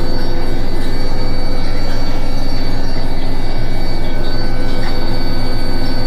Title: Indesit making a squeaking noise during final spin